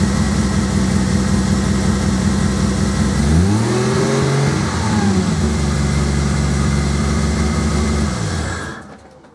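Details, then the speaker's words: Single-turbo Toyota Supra after new spark plugs fixed a misfire, before mapping: even smooth idle with clean blips rising and settling without stumbling, running on all six; timing may be slightly out. Normal idle. "So it sounds like the timing may be slightly out, which is fine because they'll sort that out when it gets mapped. But it's running on all 6 and sounds pretty healthy, so quite happy with that."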